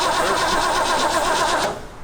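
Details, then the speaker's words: 1957 truck V8 on a weak battery, already trying to fire; sluggish, laboured starter grind that drags and stops; too little battery power to crank it properly. "think we're gonna need more power, turning power than that."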